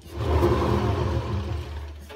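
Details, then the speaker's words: Hotpoint WMA50 washing machine drum turned by hand: low, rough rumble from badly worn, rusty, crunchy drum bearings, so bad they temporarily seize. "this is a hotpoint wma50 washing machine it's all right but it's got really bad bearings well so bad they're actually seized temporarily"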